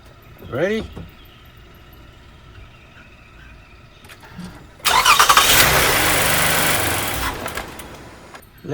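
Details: 2019 Toyota Sienna V6 on its 3-year-old Costco battery that was getting weak and needed trickle charging: short, sluggish crank, then the engine catches and runs; hesitant start from a tired battery.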